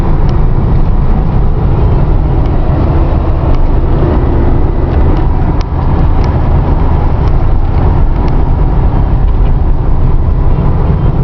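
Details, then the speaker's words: 1990 Dodge Daytona ES Turbo 2.5, automatic, 108k miles, rebuilt top end, recorded inside the cabin while driving: even, smooth, quiet low drone with no knocks or ticks; healthy engine. "it runs as you can hear it runs extremely smooth as you can hear it's actually i'm gonna shut up for a second but it's quiet in here"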